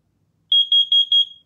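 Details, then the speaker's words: Garrison CO detector on AA batteries, test button held for monthly self-test: four sharp, clean, even high chirps on quiet background; detector passes self-test. "you'll hear the repetitive chirp once more and again it's going to change for manufacturer to manufacture"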